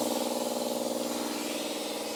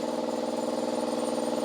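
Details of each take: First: Old air compressor tested for a 1961 VW Karmann Ghia restoration: motor drone pulsing about four times a second with constant hiss of escaping air; the drain valve underneath is open or damaged, with a hole found. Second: Stored air compressor after its underside drain valve leak was found: steady even chugging hum with a fast regular pulse about twenty beats a second, no knocks or rattles; running normally.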